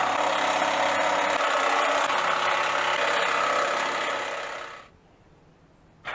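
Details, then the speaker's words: 2005 Infiniti FX35 revved after removing the resonator and mufflers, fitted with temporary clamped pipe: a loud, raspy exhaust note that swells and falls away smoothly with no knocks or misses. Normal engine, louder exhaust. "start it and see what it sounds like without a resonator and without mufflers"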